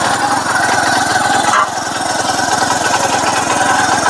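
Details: TVS Sport bike single-cylinder engine after magnet coil replacement and new gasket, previously noisy: quick even idle beats, steady tone, no grinding or scraping left; runs clean.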